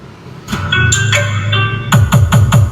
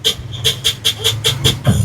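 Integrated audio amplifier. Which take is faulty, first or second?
second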